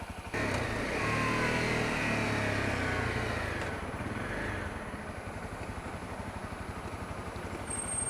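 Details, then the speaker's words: Honda CRF250L with EJK fuel controller; the knock appears only in the first five minutes of riding, not at start, is felt through the bars, and occurs regardless of clutch. After a blip, the idle carries a steady light knock about three times a second, suggesting a cam chain tensioner knock. "ck in the bars as a distinct you know knock against my throttle hand can also feel it on the other hand too but mostly the throttle side so it makes sense cuz that's linked right there to the engine by the cable"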